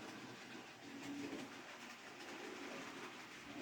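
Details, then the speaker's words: Hornby model Ruston locomotive on maintenance-day test after about four laps: quiet even rolling whir with light track clatter, no catching or stalling; normal running. "I bet that was 4 laps, wasn't it? But yeah, that all seems fine."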